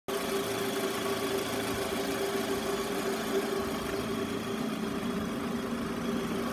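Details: Toyota Estima ACR50 at idle: steady thin whine riding over engine that doesn't pulse with firing; abnormal alternator noise.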